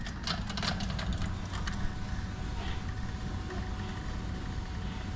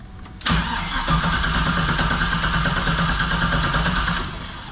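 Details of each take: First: 1973 Chevy K5 Blazer with LS swap, new Painless wiring harness and Dakota Digital gauges just installed, relay now getting 12 volts; at key-on a steady low rushing hum holds with no stutter; fuel pump priming normally. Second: 1973 Chevy K5 Blazer with an LS swap and a newly installed Painless wiring harness and Dakota Digital gauges: the starter grinds steadily at about three turns a second for four seconds but never fires; something on the LS harness is suspected, not confirmed.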